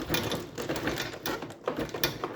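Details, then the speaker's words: Cub Cadet 31AM53L2596 snowblower chute being rotated: uneven ratcheting clicks skipping several times a second; lower chute's shaped drive hole worn oblong and stretched so the rotation gear slips, works slightly better upright, tightening only helps a little. "uh your lower Shute where it mates with the little mechanism for your rot rotating your uh shoot uh sometimes it works and it works a little bit better when it's sitting up on his feet"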